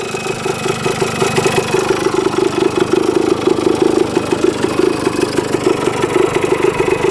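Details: 1977 Kawasaki KE100 two-stroke enduro, revived after 10 years parked, float height reset, running without air filter: quick, crisp popping idle holding steady with no top-end knock or bottom-end rattle; healthy idle.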